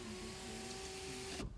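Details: 2008 BMW 328i, rear-wheel drive, 3.0 L automatic, 154,521 miles, brought in with undercarriage and engine damage, no start: window lowered with a steady, even motor hum while the glass travels, then a firm stop; normal power window operation.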